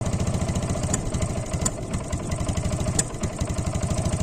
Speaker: जी हां, मैं बात कर रहा हूं इंजन मिसिंग की। इस आवाज में जो आप देख रहे हैं कि इंजन झटके लेकर चल रहा है।